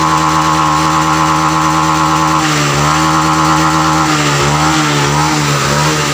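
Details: Honda Vario FI scooter that sputtered at high rpm, after the TPS sensor was reinstalled and repositioned slightly upward: it blips up and back down cleanly, the tone rising and falling with no stutter at high revs.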